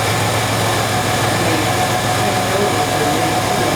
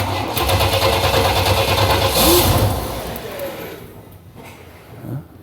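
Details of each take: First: 1995 Chevy Astro 4.3L after fixing no-start with no fuel pressure (new fuel pump already fitted): steady, even idle with no misses, stumbles or knocks. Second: 1995 Chevy Astro 4.3L, no-start with new fuel pump, fuel pump relay bypassed giving about 62–64 psi: three starts, each a couple seconds of steady cranking then catching and running, slight misfire; the ECM's pump relay control is suspect.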